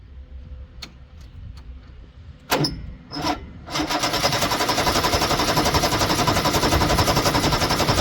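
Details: 1973 Ski-Doo 399 twin two-stroke snowmobile, barn find, after clearing a small obstruction in the fuel passage: a few sputtering cranks catch, then it settles into a quick, even two-stroke beat and keeps running.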